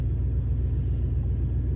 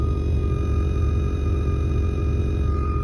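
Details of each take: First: With RCA cables swapped, the suspect front pair moved to the subwoofer, the car audio's high-pitched whine from dirty power is gone; only a deep, steady low rumble remains. The one RCA pair needs replacing. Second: Whine heard through the car stereo speaker, a thin steady high-pitched tone regardless of source, blamed on noise or static on the RCA input cable; quick fix to follow.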